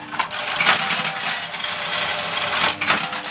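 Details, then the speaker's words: 1979 Aristocrat Esprit 4-reel slot machine, hopper designed for 10-cent coins, larger coins sometimes catching in the tray: quick bursts of bright metallic clinks as coins rattle out; normal hopper payout. "And I think when it comes out and when it flies out, some of them get caught down the tray here, down the bottom there, in the tray, some of them gets caught when it does a payout, you know."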